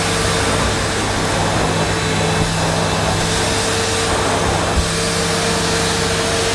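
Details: Early-1990s Hitachi CV-790 Powerhouse bagless vacuum, sold as new but dirty inside, near mint: steady, even motor roar with a constant hum, no surging, rattling or scraping. Exhaust smells only of a newish motor, and it runs fine.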